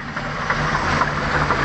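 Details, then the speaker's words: OMC Cobra 4.3 V6 in a Sunbird 208 boat, warming up at idle, with a faint regular tapping knock over the rumble. The temperature gauge doesn't work; the oil filter is to be cut open to check. Cause unknown. "Don't know if you can pick that up. Well, that's the knock she's making."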